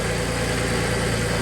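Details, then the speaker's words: Audi, after exhaust welded to flex pipes by an amateur welder, at idle: a quick, even puffing tick over the exhaust note from a small leak on top at the weld; power steering also sounds unhappy. "Little leak there. No, I said let it run. I got a little leak on top. Keep running? Yeah, keep it going. A little leak right there."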